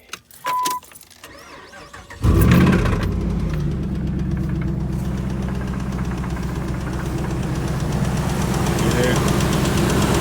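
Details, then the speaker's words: 2006 Dodge Ram 1500 5.7 Hemi V8 cranks and idles with a steady tick that turns into a knock on one side; worn lifters rubbing the camshaft, blamed on long running without oil pressure; lifters to be replaced, camshaft possibly too. "Ticking. Then once it settles down, you're gonna hear a knocking. Hear that knocking on this side? So the lifter on this side it's wore out."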